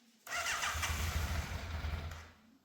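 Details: Fire-damaged Yamaha FZ750 four, 41,000 miles, choke confirmed off, idle unsettled: catches into uneven, lumpy low rumble with stumbles; misfire, middle two cylinders' exhausts cooler than outer two, cause suspected not confirmed.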